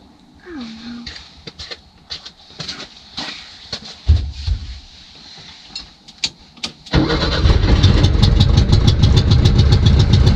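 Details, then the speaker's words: 1966 VW Westfalia SO42 split-window bus, off the road since 1987, started after static timing: clicks, then catches and settles into a steady even idle with no knocks; now a runner, normal idle. "mission accomplished 66 SL 42 Westie she's a what she's a runner that's right super pumped about that she's been off the road since 87"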